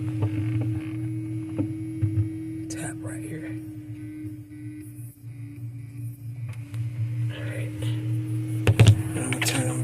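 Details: GE top-mount refrigerator after evaporator fan replacement, running with a steady low hum, a few clicks and handling knocks; the new fan runs quietly and normally.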